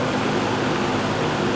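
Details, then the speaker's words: Old GE 20-inch box fan, model F17W12, well lubricated, on high: steady, soft whoosh with a distinct low-pitch hum and no ticks, rattles or wobble. Normal running. "they always have that distinct low pitch frequency sound forol unlike the ones today they use a very high frequency sound it's actually nice enough to sleep"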